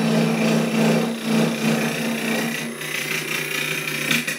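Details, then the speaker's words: Lathe squaring the face of a 4 3/4 by 4 inch ash blank for a 4" bowl: steady tone with rough uneven rhythmic chatter as the gouge catches one angled corner; vibration shows it out of square. "a weird angle to it at the moment just on this corner here so you can hear it just getting a grip on that cor you can hear the I mean that that vibration tells me so much"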